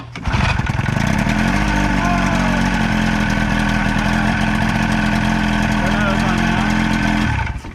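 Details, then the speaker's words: 25 hp Evinrude two-stroke outboard bought for a flatboat, after replacing kill switch wires and the kill switch: fires up right away and buzzes at a steady idle before shutting off; starts and runs fine, though the owner hears a slight knock. "Awesome. Oh yeah, baby. Sounds good."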